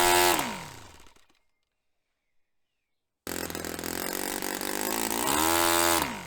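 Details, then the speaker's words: Restored Saito FA-45 Special glow four-stroke, 10% nitro, on test stand; low-speed needle richened half a turn, but on pinch test the buzz sags, drops in pitch and quits quickly, then restarts; low-end mixture suspect. "So I've richened that up quite a way now, and I'm quite surprised that that's still dying."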